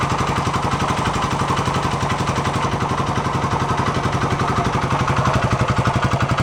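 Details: 1972 Honda SL125 single warm after restoration and chain adjustment: steady, evenly spaced exhaust thumps at constant idle, no misses or knocks; timing may still need slight adjustment. Normal idle.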